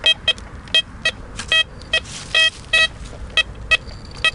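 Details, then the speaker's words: Blisstool v3 metal detector on a ploughed field after the coin is removed from over buried iron: short, choppy high beeps break out irregularly, the spitting of iron that the machine discriminates out. "spitting again, guys. There's iron down there, okay? That nicely discriminates out the iron."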